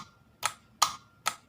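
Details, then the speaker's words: LG top-load washing machine drain motor, removed and powered on the bench: three sharp clicks about 0.4 s apart over a faint hum, with no pull-in; faulty drain motor, which stops the washer draining on spin and causes an error. "ตัวนี้ดังต๊อกแต๊กแต่ไม่ดึงตัวนี้เข้านะครับ"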